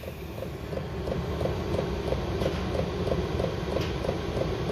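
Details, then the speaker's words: Chinese 12-volt diesel air heater starting normally on a battery test setup: steady light fuel-pump clicking about three per second over a rising fan rumble as it speeds up. "so you can hear this thing speeding up now hear the fuel pumps clicking fan speeds kicking"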